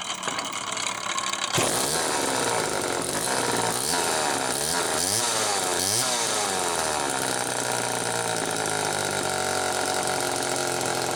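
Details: 1974 Homelite XL-2 chainsaw with early HDC carb, test run after air leak repair: starts and settles into steady high buzz with throttle blips, runs evenly, idle slightly unsettled. Normal running.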